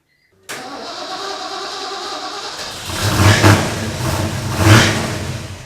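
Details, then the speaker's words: Old, very reliable Holden ute work vehicle, still in use: the engine catches quickly and settles to a steady idle, then two clean blips rev up and drop back smoothly; it starts and runs healthy. "try not to loaded up with too much rubbish still goes I had it out not that long ago"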